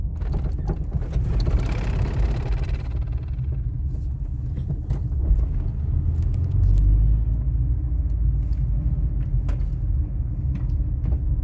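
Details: 2000 Toyota RAV4 driving: deep road rumble with scattered, irregular clunks and knocks from underneath; sway bar bushings and links already replaced, so not the sway bar.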